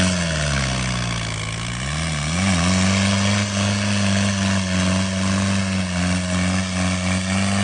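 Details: Off-road vehicle engine idling, then picking up slightly, with an irregular knock of about three per second under the running note. Engine knock present, cause unclear.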